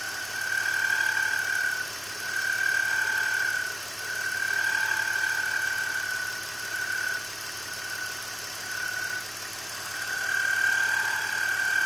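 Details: BMW E46 at idle, before repair: a high-pitched squeal rises and falls every couple of seconds from a bad belt pulley. Replacing the pulley fixed the noise.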